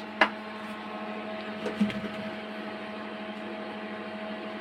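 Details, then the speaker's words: Stanger PBT 800 amplifier head, powered with power and signal lights lit, audio fed to aux input: only steady low mains hum, faint fan hiss and handling clicks, no audio output. "দেখতে পাচ্ছেন কোনো ধরনের grid নাই। না, সেটটিতে কোনো ধরনের audio নাই।"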